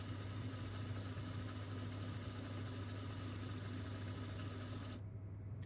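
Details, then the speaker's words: Mastertronic analyzer reference test, second rinse: the empty (drain) motor hums low and steady for about five seconds, then cuts out, emptying the reaction chamber until air bubbles appear; a normal drain cycle. "You can see the empty motor is starting and emptying here, and you will soon see air bubbles again."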